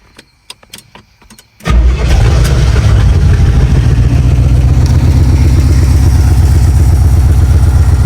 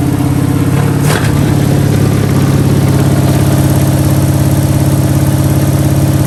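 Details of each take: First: 1971 Pontiac Ventura Sprint, running on fuel poured into carb bowl: cranks briefly, then catches into a strong, steady low rumble with even firing rhythm; healthy idle. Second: 1971 Pontiac Ventura Sprint V8, fuel poured into carb bowl via vent tube: catches and runs a steady lumpy idle about three and a half pulses a second, then runs out of fuel in the bowl — fuel starvation stall.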